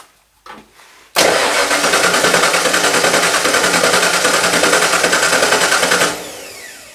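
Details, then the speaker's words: 1995 Ford F150 shell with V8 drivetrain swapped from a 1996 F150, first start attempt with dry fuel lines: even cranking about three and a half beats a second for five seconds, never fires; crank no start. "Well, it's going to take a minute cuz all the fuel lines are dry. But what was it? Check the switch. Let me see what's up. It might start. Sounds like it's trying."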